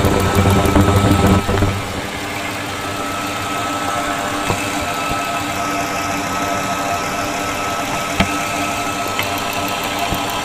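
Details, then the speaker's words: 2000 Ford F-250 SD 5.4 L (330 CI) with intermittent rough idle and a miss, injectors heard via PEX-pipe stethoscope with microphone: quick, even ticking about three per second over idle, same on each injector; injectors opening normally. "Okay, so all of the injectors do sound similar. You can hear a distinct ticking."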